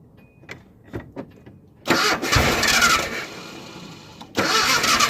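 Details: Nissan Hardbody in freezing weather after sitting: starter spins engine at an even, brisk pace in two long bursts but it never fires; cranks, won't start, cause unknown.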